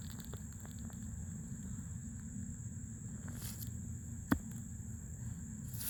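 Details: New Fluidmaster 400A toilet fill valve refilling the tank: thin, steady high-pitched whistle over a low rush of water. Noisy fill valve, cause unclear.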